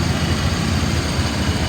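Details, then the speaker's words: 1995 Ford F-350 XL cab and chassis, 7.5L gas V8, automatic, 129,000 miles, warm after about 45 minutes running without overheating: even, steady low idle rumble, no knocks or ticks. Sounds good; possible valve cover gasket oil leak smelled burning. "Now again, it's been running for 45 minutes, has not overheated, and the motor sounds good."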